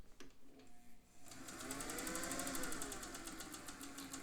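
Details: Singer 201 sewing machine stitching rows slowly, then faster: quick, even needle ticking over a soft hum as speed rises, with no clatter or rough spots. It runs sweetly.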